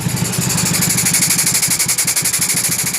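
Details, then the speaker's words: Honda Beat carburetor scooter with high fuel consumption: steady idle with a loud airy hiss pulsing about three times a second, an air leak at the intake from a worn automatic choke. The engine dies when the intake hole is covered. "Dan untuk suaranya hos-hosan ya. Seperti hanya udara bocor ya, teman-teman."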